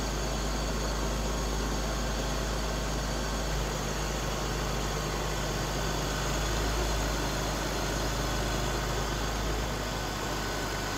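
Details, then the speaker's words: 2001 BMW E46 330i automatic idling from a cold start after oil filter housing gasket, VANOS oil line and oil filter work; steady, even smooth low hum with no knocks or misses; normal cold idle. "running really good so far really good"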